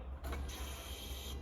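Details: Barn-find VW Polo 6N that had been running rough, started after a repair attempt: the starter whirrs briefly, then it catches and settles into a steady, even low idle without misses; owner says it sounds like it used to.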